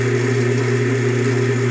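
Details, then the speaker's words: Craftsman Atlas 12-inch lathe countershaft after a rebuild with new thrust bearings, cover not yet on: a smooth, even hum with no grinding or humming noise, where the pulley had previously rubbed against the side. "right no more noise I figured that's what it was I me was just riding against you know the side he no we that weird grinding noise huming noise"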